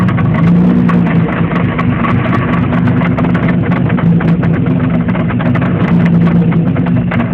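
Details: Pontiac Fiero with 3.4 DOHC V6 petrol engine running loud and steady, heavy low drone with a busy rattly top end; loud engine noise.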